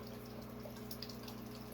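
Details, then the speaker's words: 125-gallon aquarium setup: steady pump hum with continuous gurgling from the native tank, caused by the way its fountain feeds in. "you can hear that gurgling in the background that is from my native tank i still need to do something with that"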